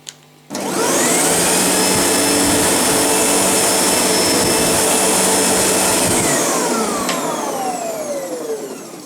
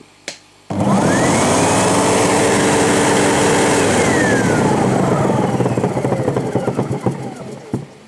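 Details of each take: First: Sebo G1 upright vacuum, after repair for vigorous vibration and clunking: the motor spins up to a smooth, steady high whine with no wobble or rattle, then winds down evenly. Now running normally. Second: Sebo G1 upright vacuum that began vibrating and clunking. Loud motor whine winds down, then uneven rattly clunking. The owner suspects a bad bearing on the belt side near the brushroll and thinks it happens when hot. Cause unconfirmed.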